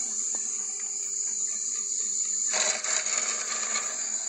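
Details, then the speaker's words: Worcester GB162 100 kW commercial gas boiler in service mode: steady high whine, then a harsh, uneven rattle builds halfway through from the fan; fan suspected, possibly the gas valve, not confirmed; fan rattle. "any ideas so you can see the fan there rattling away i've had a few opinions on it oh i think it could be the fan or possibly the gas valve"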